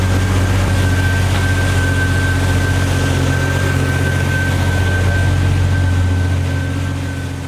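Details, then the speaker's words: 1992 Jeep Wrangler YJ 4.0L petrol engine idling smoothly after a new serpentine drive belt was fitted, steady low hum with no squeak or chirp; the belt squeak is fixed. "The squeak is gone!"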